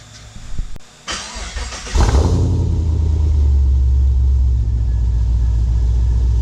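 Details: Pontiac G8 V8 with a Borla S-Type cat-back, used Pacesetter headers and a replaced bad #8 injector (a misfire cause): a brief crank catches at about two seconds, then a deep, steady rumble; fires cleanly, idles evenly, low tone with a growl.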